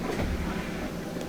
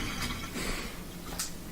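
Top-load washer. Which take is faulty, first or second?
second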